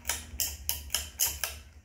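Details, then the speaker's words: 52-inch Homestead Universal ceiling fan with new light kit, on low speed: sharp, even ticks about four times a second over a low fan hum; cause unknown. "i don't know why it's making that noise a lot but yeah that really i don't know why it's making that noise a lot"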